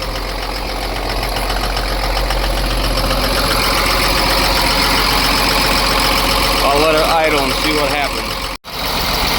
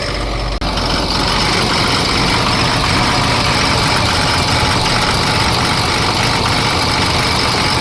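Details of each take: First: Ford F750 with Cummins diesel that sat for years, first start after a fuel filter that had run empty; steady, even idle clatter, the earlier skip now gone, owner thinks the problem is found; oil pressure good. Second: Ford F750 Cummins diesel that sat for years, idling right after a seized alternator was found; loud idle with an uneven beat and an occasional skip, owner suspects an injector.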